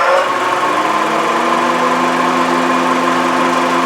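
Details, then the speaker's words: 2011 Honda CR-V, engine running: loud steady whirring rumble with constant droning tone, audible inside even with the radio up; AC compressor replaced. "When you start this vehicle up, this thing is making such a racket that even if you turn the radio up inside the vehicle, you can still hear it, so it's pretty loud."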